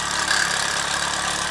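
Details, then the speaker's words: Mamod SR1 steam roller (1963/65, probably 1965/66), with rubber tyres, running on rollers: smooth even chuffing hum, steady beat, no knocks or hesitation; a little faster than before, extremely smooth runner; normal running. "Yeah, a little bit faster than before. Extremely smooth runner there."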